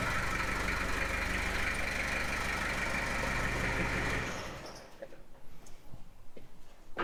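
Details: 1995 Gehl 5625SX skid loader diesel after replacing the glow plug relay for hard starting: even diesel clatter at a steady idle, about four beats a second, running smoothly before being shut down.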